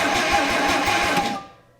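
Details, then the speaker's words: 1959 Plymouth Suburban Custom, inline-six flathead parked 52 years, cranked without fuel to circulate oil: steady starter cranking, even pulses about eight a second, then winding down; compression sounds present. "camshafts crankshafts lifters sounds like it's got compression that's a first"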